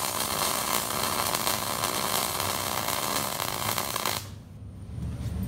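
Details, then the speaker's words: MIG welding 1/8 in steel with the welder wide open: steady harsh hiss and crackle for about four seconds; heat set too high, giving a wide flat bead and large heat-affected zone likely to warp. "you get a really wide flat looking weld like that I have the welder wide open on E inch material I mean it's I've got it down on 38 there"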